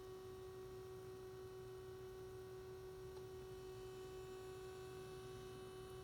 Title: SDS200 At Menu Screen with Humming Noise